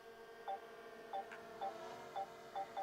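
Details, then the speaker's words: DJI Mini 4 Pro drone in flight during first-flight handling: six short mid-pitched beeps over a steady motor whine, the obstacle detection warning that an obstacle is nearby. "Les bips qu'on entend, c'est la détection d'obstacles. Il détecte qu'il y a un obstacle à proximité, donc il vous avertit."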